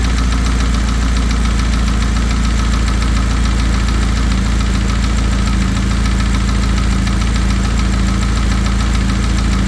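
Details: VW EA888 four-cylinder at idle with a dull, fairly regular knock about three to four a second under the steady hum; suspected piston slap, not confirmed.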